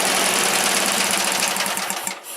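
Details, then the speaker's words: Wheel Horse GT-1800 Workhorse with Briggs engine, after fuel pump gasket repair: engine buzzes, then sags and stalls within a second or two as choke is opened; carburetor not drawing enough fuel, owner suspects stuck float. "But you see where that choke is at? That's because the carburetor's not sucking enough fuel in."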